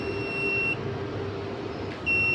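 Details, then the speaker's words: UPS kit with overload set to 700 W and load cut to 700 W of bulbs: sharp high-pitched beep, pause of over a second, another beep; the overload buzzer is still sounding. "अभी ऑन देखें होता है कि नहीं, ये क्योंकि बजर पे जा रहा है इस टाइम। ये देखें आपको बल्ब नज़र आ रहे होंगे। अभी चेक करते हैं। बजर 5 बजरें होती हैं। अभी भी ओवरलोड पे कर रहा है, ठीक है।"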